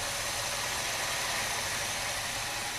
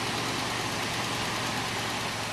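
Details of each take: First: 1979 Cutlass with swapped-in 403 V8 and rebuilt carburetor, cold, first start: steady even idle, smooth hum, initial lifter tick quieted; healthy, may need idle mixture adjustment. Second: Light, fast lifter tick over a smooth, even idle at the very first start of a 403 V8 swapped into a 1979 Oldsmobile Cutlass. Lifters are thought collapsed from water and long cranking, and the tick is expected to go away; no leaks.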